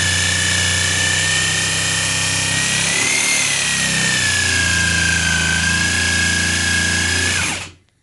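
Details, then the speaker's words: Jigsaw free-hand ripping tough, wet wood with clogging teeth: loud even whine wavers and dips in pitch mid-cut then recovers, the motor bogging from pressing too hard. "hear the saw bogging down? Okay, that's me pressing a little too hard."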